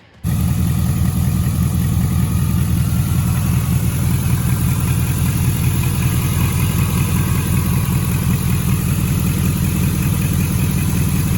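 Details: 5.3 LS-swapped Pontiac Firebird with new LS1 Corvette filter regulator and stainless L59 flex fuel rail on factory lines: engine catches and settles into a strong, even drone, no stumble or misfire; sounds much better.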